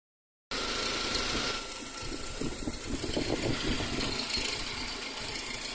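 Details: Saab 9-5 engine running: uneven quick ratchety rattle over the idle, a few taps a second; source not pinned down.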